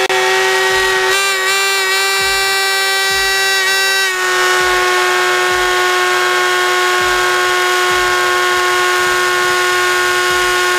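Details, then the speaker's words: Team Associated Apex RC car in a bearing benchmark, starting cold at 61°F: a loud, piercing, steady scream wavers early, then holds at full throttle, above 400 watts. Driveline drag from a vibrating driveshaft. "this car actually when I went to full throttle it actually went in excess of 400 watts plus she backed the throttle off about half way and yeah that thing was screaming"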